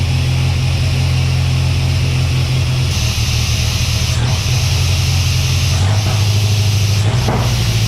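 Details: Chevy S10 with a Mercruiser 140 boat engine swap and a turbo showing only 12 psi of boost. Deep idle that sags and stumbles every second or two, close to stalling. The owner suspects a computer or tuning issue; not confirmed.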